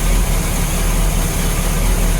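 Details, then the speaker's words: 1987 Bayliner Cobra 2250 with OMC 5.7 V8 sterndrive, freshly started in the water after gimbal bearing replacement: deep, steady idle with an even low rumble and no knocking or grinding; a normal idle, much quieter than before the repair. "So if you guys have seen my previous video, you know, when I first started her up, the engine didn't sound like this. This is like quiet."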